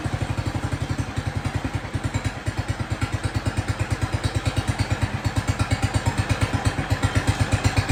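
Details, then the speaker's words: Jacobsen Chief 1200 tractor, cast-iron Kohler 301 single, after sitting about 3 years; aftermarket Chinese carburetor adjusted. Steady, even single-cylinder idle thump with no misfires or hunting. No smoke; normal idle. "But anyway, it runs good. Don't smoke or anything. Idle's nice."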